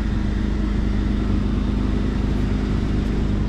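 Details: 2004 Jeep Grand Cherokee 4.0, automatic, idling just after replacing a blown PCM battery fuse that caused a crank-no-start: a steady, even low rumble with no knocks or misses; normal idle.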